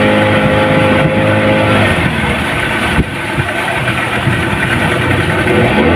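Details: Yamaha 15 hp outboard at full throttle on test run; drones hard but flat and uneven with no pull, also hard starting; total loss of power from weak ignition coil voltage and clogged carburettor.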